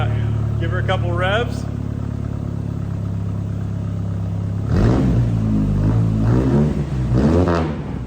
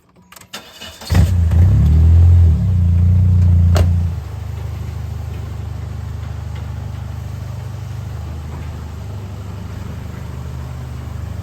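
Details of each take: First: Dodge/Plymouth Spirit after new exhaust fitted (old muffler suspected holed), two throttle blips on the lift; deep even exhaust note with slight rasp, expected to lessen once long tail section is cut off; normal. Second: Plymouth/Dodge Spirit, before exhaust repair: cranks, catches, then idles with loud, deep, raspy drone instead of muffled hum; owner suspected a hole in the muffler. Exhaust leak.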